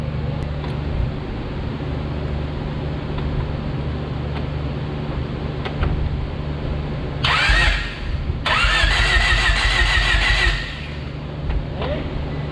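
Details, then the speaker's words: Honda Prelude cranked after refuelling and priming, with a fuel pump fitted about a year earlier: the starter cranks steadily for several seconds with no firing. Crank, no start, due to no fuel pressure. "so right now i just tried cranking over as you saw but we didn't have fuel pressure"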